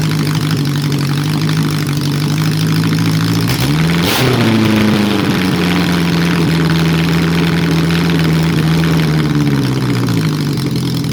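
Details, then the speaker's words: Honda CB750 motorcycle, which previously wouldn't start, cold, without exhaust or airbox fitted and mixtures not yet tuned: runs on every cylinder; after a blip revs sag back slowly and hang high; owner suspects a vacuum leak. "Starts, runs on every cylinder. Sounds like it's got a vacuum leak there, so it's sort of taking a long time to come down, but I'm not going to do the mixtures yet."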